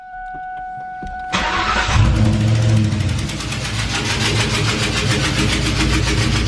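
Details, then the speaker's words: Ford Mustang that began sputtering while driving, no engine codes: cranks and catches, then a loud sharp ticking about three or four per second over a rough idle as compression escapes. Spark plug blown out of the head. "sounds like there's compression being pushed out somewhere in the mirror like a vacuum again or maybe a spark plug popped out which is weird it's not too common for this year"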